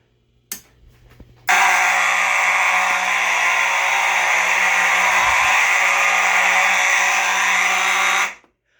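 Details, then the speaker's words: EST/Edwards IO-64 fire alarm panel with EST Genesis horns, programmed to continuous with silence during a shed system test: piercing steady horn tone held unbroken for about seven seconds; very loud, with strobes unsynced in free-run mode. "okay that was loud"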